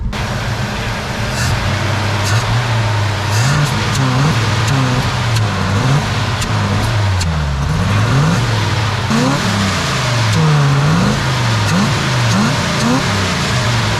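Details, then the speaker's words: 1978 Chevy Nova 4-door crew cab, carbureted V8, pulled from a junkyard after sitting many years: it runs rough and wants to stall unless the throttle is worked. Revs swell and hang high because the throttle sticks and must be tapped to return. A carb clean is planned. "it's starting to run a little bit rough unless i work the throttle it's one to stall out see if we can do a quick carb clean on it throttle's still sticking too you gotta tap it to come off"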